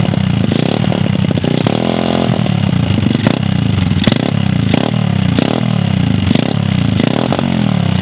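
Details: Mini pit bike dirt bike pulled from the bottom of a lake, engine full of water, first start: small single coughs then ragged revving with a clattery edge while WD40 burns off; runs, but oil is milky from submersion.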